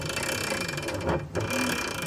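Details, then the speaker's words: ETM RTR Lite electric pit bike pushed by hand with motor off: irregular creaking and ratchety clicking from the drivetrain, like a dry unlubricated drivetrain, plus echo; noticed out of the box, lack of lube suspected, not confirmed. "That don't sound great. It's almost creaky. You'd think that electric means silent."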